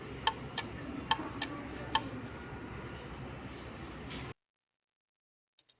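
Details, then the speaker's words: Relay wired to pin five switching an AC night light in an SOS Morse pattern: sharp, crisp clicks in timed groups (three short, three long, three short), then a 3-second pause; relay working normally. "so you can hear the relay clicking so this is like the SOS code"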